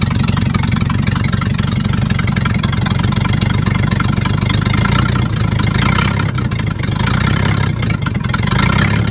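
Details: 1950s Dodge dump truck, old inline six, first start after sitting 30–40 years with makeshift plain-wire spark plug leads; deep, continuous idle with a brief rev blip, firing stays even throughout; runs properly.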